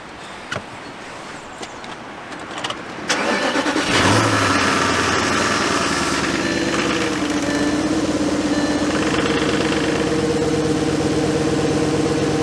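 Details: 2004 VW Touareg V8 after replacing a misfiring ignition coil (codes P0300, P0302): short crank, catches and settles into a steady, even idle with no stumble or miss; check engine light still on, normal running.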